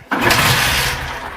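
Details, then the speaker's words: Bajaj Platina 125cc motorcycle after a wash, hard to start with no pickup: the engine catches with a burst, climbs briefly, then sags and dies when the throttle is opened. Stalling under revs caused by wet electrical connectors. "जहां जी को इसका accelerator बढ़ाया जाता है पिस्पीड तोड़ देती है"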